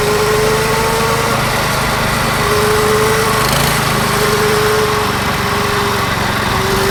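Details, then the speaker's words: Yerf Dog go-kart with a Predator 212 engine and stage 1 kit, replacing the stock Tecumseh, gearing unchanged, driving: steady, even, buzzy single-cylinder drone with no knocks or rattles; quieter and smoother than before, healthy under load. "it's faster and so far now that we got the predator on there it's kind of quieter it seems smoother the acceleration is much better"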